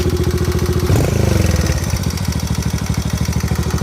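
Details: 2020 Kawasaki KLX110 single-cylinder idling with a steady quick ticking over its low putter; owner asks whether it needs a valve adjustment, and some suggested the spark plug, which the owner doubts.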